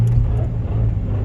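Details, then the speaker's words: Turbo Honda D16 on E85 fuel, cold start, with a worsening blown head gasket. A heavy, steady low drone with a lumpy, uneven edge; it runs rough and sounds pretty bad. "it sounds pretty pretty bad"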